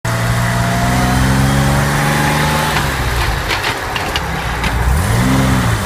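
A low tonal whine sits over the engine and rises and falls in pitch with road speed, pointing to gearbox noise. Cause suspected, not confirmed.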